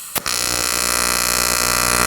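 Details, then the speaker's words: Arccaptain 200A AC/DC TIG welder, AC TIG on aluminum with 4943 filler; harsh coarse steady buzz, AC frequency sounding low, about 60 Hz versus usual 120–240 Hz; puddles fine. "Not sure how you adjust the frequency on this guy. If you can, the frequency's a little lower. You can hear it there. It sounds like it's about 60 hertz, but I usually run a 120 to 240 with a Miller, but we'll see what happens here."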